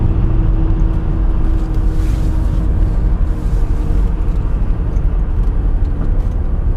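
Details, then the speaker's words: 2005 Buick Terraza with a 4T65-E automatic on a test drive. The engine roars under throttle without gaining speed because fourth gear is slipping or missing; the 1–2 shift is also jerky. "i don't think that fourth gear is there i'm giving it some gas and i'm losing it on the uh attack"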